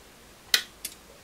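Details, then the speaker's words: DAB Jet 82M water pump GPS controller on bench, fault of pump not shutting off: relay suspected jammed, but two crisp clicks show it pulling in and releasing normally. "i heard it clicked though sure had a click for that really yeah it realized clicking you can hear it"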